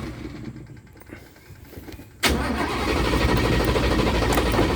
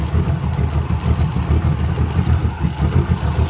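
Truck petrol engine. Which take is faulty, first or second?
first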